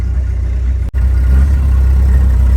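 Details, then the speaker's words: Ford F600 gasoline truck during a fuel-delivery troubleshoot, idling after 15–20 minutes of running, which shows it is drawing from the tank: a deep, steady, even rumble with no misses, knocks or surging. Normal idle. "It's been running now for about 15-20 minutes. There's no way it idle or run and accelerate a 15 to 20 minutes off a tank it ain't drawn."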